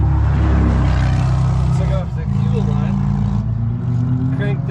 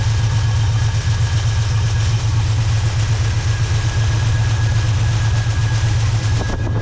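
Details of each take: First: Car with a brand-new Delphi fuel pump and rebuilt carburetor that quit 10 minutes into a test drive: the engine cranks with a steady starter churn at about four pulses a second and never catches, zero fuel pressure even fed straight from the tank; failed new fuel pump. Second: Car with rebuilt carburetor, new fuel pump replacing a failed Delphi unit: smooth even idle with steady firing pulses about four a second, no knocks or misses; new pump gives high, almost too much, fuel pressure; normal idle.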